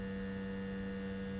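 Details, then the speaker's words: Zenith 4-B-231 radio synchronous vibrator after rebuild with new base replacing deteriorated foam rubber, housing with built-in muffler off: steady, even fixed-pitch buzzing hum, no rattle or stutter; hums right away, much better than before, being run 20-30 minutes to check it doesn't seize. "that this is much better than what we had before and it's humming right away so it's pretty cool"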